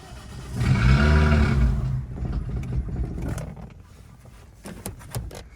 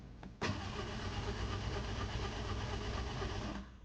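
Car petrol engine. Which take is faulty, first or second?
first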